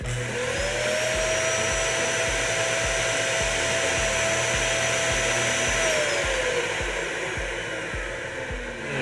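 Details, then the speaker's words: Dyson DC65 Ball upright with no suction; steady motor roar with a thin whistling hiss rising, holding about five seconds, then fading; the bypass valve opening because of a clog or restriction. "that first time I ran it you heard like that like that hissing sound come on my god that is the bypass valve so a lot of vacuums have a bypass valve that will turn on when the vacuum is experiencing a clog or some sort of restriction"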